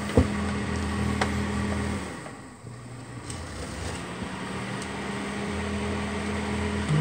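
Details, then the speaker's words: Duracraft (Honeywell) Heat Furnace Plus CZ-1200 space heater that had smoked. The fan motor fault was a popped-off bushing retainer leaving the armature crooked. After the fix, a steady low electric hum with constant pitch and a brief dip, no scraping; running smoothly. "tips which worked - dude so that's all it was the retainer that held that bushing Center popped off so the armature wasn't sitting straight in the motor"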